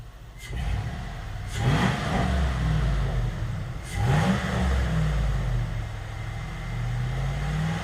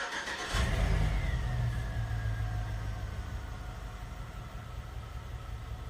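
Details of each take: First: GM 5.3L LS-swapped Sub-100, several clean, smooth rev blips with no stumble or popping, all cylinders firing evenly; the dead-cylinder misfire went away after wiggling harness connectors and has not returned after a month of driving. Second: GM 5.3L LS V8 revs then settles to a lumpy, shaking idle with a pretty terrible miss, in gear, passenger front O2 sensor unplugged; dead cylinder misfire, cylinder four shutoff causes no change.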